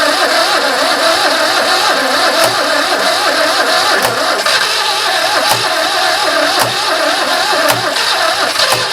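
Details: Barn-find 2CV flat-twin three-wheeler stored 25 years, last attempt: engine catches, settles into steady even idle with faint regular tick. Normal start and idle.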